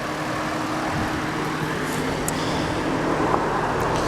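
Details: Engine after replacing a screaming idler pulley under the alternator: even, steady run with no squeal or chirp from the belt side; front accessories quiet and healthy, alternator was not the cause.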